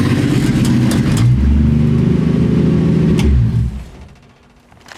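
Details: 1965 Ford Mustang restomod driven after driveshaft noise fix: engine pulls cleanly with no clunk or rumble from underneath; driveshaft noise is gone.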